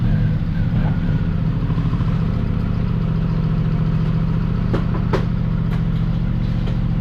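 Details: Chevrolet Spark engine at idle, reportedly misfiring on cylinders 2 and 3: rough, uneven shake with irregular stumbles and slight clatter over the low rumble.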